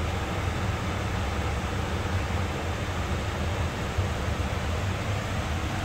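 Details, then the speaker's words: New Rotec R2800 radial aircraft engine for a Kitfox project on test run: steady, even low roar with no misses, knocks or surging, running smooth and healthy. "okay so that's the end of the test run for the 2800 up John's engine"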